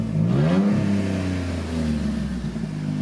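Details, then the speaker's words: 2007 all-wheel-drive Jeep, under 200k miles: revs and settles with a deep, loud, rumbling exhaust note. The muffler is bad and needs replacing. "listen to that muffler it does need a muffler which I'm gonna go get tonight"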